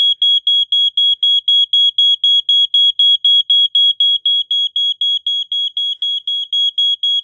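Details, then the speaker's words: 1987 Wake and Warn 2 smoke detector after a test-spray trigger: loud, shrill, steady beeps about four a second that stay on for a while. This is the better-preserved of two units, and it sounds properly. "okay wow that stays on for a while"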